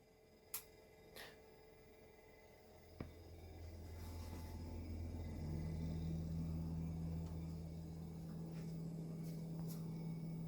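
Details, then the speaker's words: New Samsung RZ32M71207 freezer / RR39M73407 larder fridge running while cooling: low appliance hum (owner attributes hum to nearby Beko unit) under faint fast ticking about three to four per second from the Samsung; cause not confirmed. "so the humming noise is coming from the bay coverage that i have on the side here which is going to go soon but the ticking noise is coming from the samsung"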